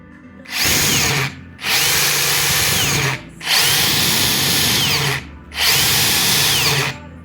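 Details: Makita 40V cordless 3/4 impact wrench, free-running bursts before service: harsh rattling roar and vibration from a dry, under-lubricated impact mechanism; motor bushing or bearing play was also suspected; fixed by cleaning old grease, regreasing, new silicone seal.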